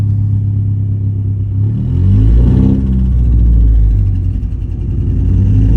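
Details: 2015 Ford Mustang EcoBoost: deep engine note rising and falling with throttle, with an uneven, stumbling, lumpy pulse; engine misfiring.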